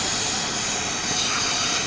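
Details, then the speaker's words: Mercedes C300 at idle, during diagnosis of a non-working AC: a steady, high-pitched hiss from the evap system, where a hose is possibly broken and has been removed from its seat. A vacuum leak. "Okay, this right here is the evap system that is making the noise. So maybe the hose is broken, and I can see they have removed it from the seat where it is. Okay, that's the hissing sound there."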